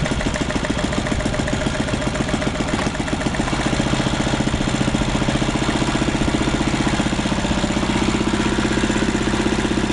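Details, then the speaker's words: 1939 Lauson RSM 1hp marine inboard, air-cooled single-cylinder (5.9 cu in, rated 2300 rpm), audio-tuned straight pipe: even, steady putt-putt with clean exhaust beat, no knocks or misses; runs healthy. "It's got an audio tuned straight pipe, and it runs good."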